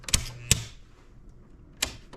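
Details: Home circuit breaker on a lights-and-outlets circuit: it snaps on, snaps back with a spark and buzz, then clicks, and won't hold. It still trips when the wire is moved to another breaker, so the fault is on the circuit, not the breaker.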